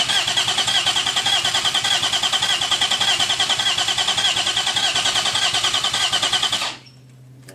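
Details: Freshly built forged 3.1-litre custom S52 six-cylinder, first start attempt: fast even cranking for about seven seconds, never settling into a clean run.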